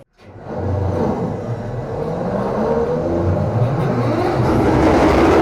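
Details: SD45-2 locomotive diesel after freeing stuck fuel injectors: run up to 8th notch in self-load, low rumble swelling to a strong steady roar with even firing and no knocking; everything working as it should.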